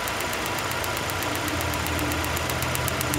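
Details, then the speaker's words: 2002 Nissan Sentra 1.8L with P0300 random misfire and rough idle: sharp snapping ticks, about six a second, over a steady idle as spark arcs inside the spark plug hole instead of reaching the plug; near-dead cylinder misfire. "this vehicle was misfiring it was arcing inside the spark plug hole so this was actually almost a dead cylinder due to the fact that the spark was not reaching or full spark was not reaching inside the spark plug"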